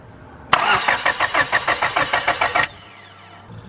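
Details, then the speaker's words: 5th-gen Honda Prelude BB6, cranking with the new fuel pump and good fuel pressure: starter turns the engine about five even pulses a second for two seconds, never fires; no signal was found at the injector connectors. "we just found out that there's no signal going to the connectors for the injectors"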